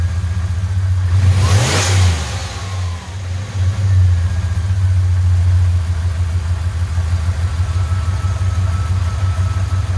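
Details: Dodge Dakota 5.9 V8 turbo project with new downpipe, intercooler and full exhaust, belt fitted, stock injectors and untuned: start-up into a deep, steady burble with a quick rev blip; sounds smooth and healthy.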